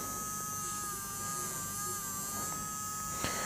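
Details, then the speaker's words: JGY 370 12V gear motor, a faster unit drawing about 0.9 A on 12V that could not be stopped by hand: constant, fairly loud high-pitched hum, steady pitch, no grinding or clicks; the owner thinks the noise comes from high motor speed. Normal gear motor hum. "काफी अच्छी Motors है इसकी आवाज थोड़ी ज्यादा है क्योंकि I think motor की स्पीड ज्यादा है"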